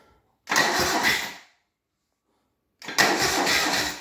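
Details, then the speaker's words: BMW R60/5 during restoration, starter tested with ignition switch on: two short cranking bursts of about a second each, steady whirring spin with no grinding or clicking; the starter works properly. "and we have a working starter."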